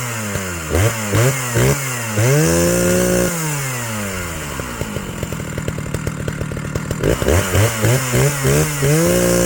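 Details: Old chainsaw, carb just leaned on top and richened on bottom with idle dropped: revs up, then sags into a slow uneven sputter and recovers. Owner calls it classic fuel starvation.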